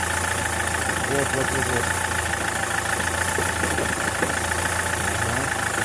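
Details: SsangYong Kyron diesel at steady idle: diesel clatter with a dull, uneven knock underneath about every second; worn dual-mass flywheel.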